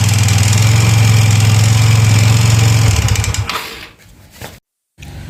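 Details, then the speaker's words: Yamaha Mio Soul GT 125 FI bought with rough noise, idling with CVT components removed: steady gravelly low drone at idle persists, so roughness is inside the engine; piston, cylinder or con-rod suspected, not confirmed. "tadi kita sudah dengarkan suaranya sendiri ya sudah bisa dengar sendiri jadi ini suara bagian mesin ya lalu untuk suara bagian mesin ini bisa juga dari suara piston dan blok seher yang memang sudah dilakukan pergantian"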